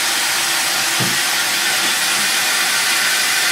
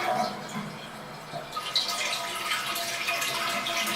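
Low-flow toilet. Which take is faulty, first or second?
second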